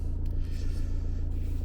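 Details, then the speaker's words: Peugeot Boxer diesel camper van after an oil, air and diesel filter service, with the fuel system primed about 10 cycles until the gurgling stopped: steady even diesel clatter at idle with no misses or hunting, running normally. "let it run for a little bit just to make sure just in case there's any air in it it's extra just to pump it through but we should be pretty well all right"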